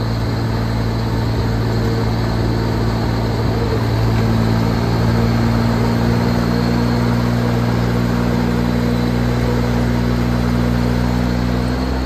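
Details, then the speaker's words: Airbus 500-litre 4WD power-steering crop sprayer with a Mitsubishi 3-cylinder diesel, no blow-by, pump running empty without spraying. Steady three-cylinder chug with a constant pump hum, even and knock-free; the engine runs healthy. "เครื่องยนต์เป็นMitsubishiครับMitsubishi3สูบครับเครื่องดีไม่มีไอไม่มีดันครับ"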